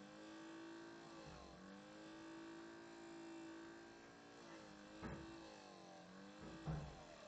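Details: Brand-new Alienware M11x laptop at bootup, nearly idle: loud whirring fan tone with overtones sagging and climbing every few seconds, continuing through Windows boot; loud fan noise, cause unclear.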